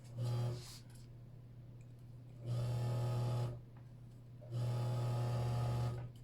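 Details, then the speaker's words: Older Kenmore sewing machine, seized: motor hums low and strained in three short bursts, labouring like a tractor as the stiff mechanism frees after WD40; dried lubrication blamed, to be blown out and oiled. "so there you go there's your your standard unsticking and then from here on I take uh my air compressor and I blow out all that WD40 and then I put in oil"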